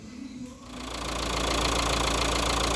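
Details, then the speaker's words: Dacia Duster after clutch replacement, gearbox refilled with about 1.9 L gear oil and reassembled: engine catches and settles into a smooth, even idle, steady pulse, no knocks or rattles; no dash lights or fault codes. Normal idle. "okay so that's it yes the dust are fully backed together and on our training oil back on as you can hear it's running"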